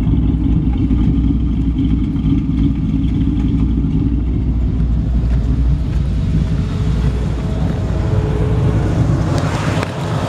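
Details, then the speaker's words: 1954 Ford F100 with 302 V8 and automatic transmission: deep, steady, even rumble with no knocks or misses, smooth lopey V8 idle; engine running healthy, normal idle. "nice and clean under the hood you can hear the engine runs perfect"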